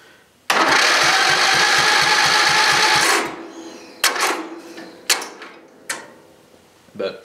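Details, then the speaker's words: Briggs and Stratton small engine on jump starter, cranking before starter repair: slightly slow cranking with thin squeak over compression beats, indicating a dry starter bearing; starter to be cleaned, brushes reseated, greased. "you see it's not cranking bad I just think it should be cranking a little faster and sometimes it's harder to start you hear that squeaking sound too that means dry bearing in it starter"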